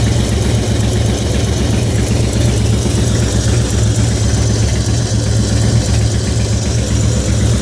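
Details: 2004 Harley-Davidson FXST Softail, almost 10k on the engine, ridden hard, HD Syn3 in all three after recent fluid change: loping V-twin idle with light quick tick about four per second; source unclear.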